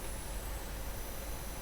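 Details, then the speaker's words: PDP8 power supply after repair, main culprit thought to be a failed resistor, with the fan disconnected and rails loaded at about 1 A; a faint steady roughly 10 kHz switching whistle under load, normal. "we should hear a bit more noise from the supply as we load it up see I don't if you can hear or not we're getting a bit of a whistle now from the supply which is what we should have runs at about 10 khz"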